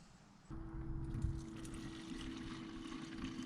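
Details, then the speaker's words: 2001 Toyota Camry 5S-FE four-cylinder with a cold-start problem, fuel pump run by a jumper in place of the relay: pump switches on with loud steady mid-pitched hum and strong fuel flow; pump healthy. "and i can hear the fuel pump run and it's very loud and uh fuel flow is pretty good so this fuel pump out puts a really good amount of fuel"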